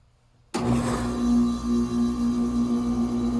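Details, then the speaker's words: 2015 five-ton Carrier AC outdoor unit with three fan blades, a GE fan motor and a Copeland scroll compressor starts abruptly with a shake, then settles into a loud, steady low buzz that pulses slightly as it runs. "as you notice that's what i can only do with this unit it's just so making a buzzing noise when it starts up and it is a 2015 five ton"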